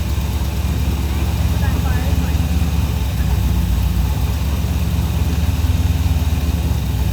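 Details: 1984 Chevy Silverado V8 with slight miss, distributor timing being adjusted: deep uneven loping idle at three to four pulses a second, occasional stumble, after stalling and a backfire; missing at idle, cause not confirmed.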